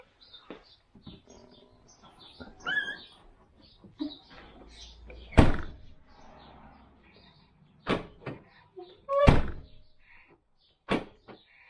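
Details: 2014 Land Rover Freelander 2 SD4 tailgate shut after refitting trim panel to cure a jingling rattle: a few solid single thunks, no rattle or buzz afterward; trim tight and quiet, normal tailgate closing.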